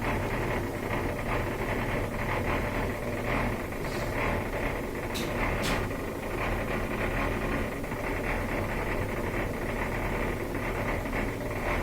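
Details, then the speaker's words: LG washing machine that won't drain: steady low droning hum with a rough, gritty edge; bad drain pump suspected, possibly something caught in the pump, not yet confirmed. "this is the all common LG washing machine that won't drain also maybe giving you the whole year this is the sound that a bad pump makes"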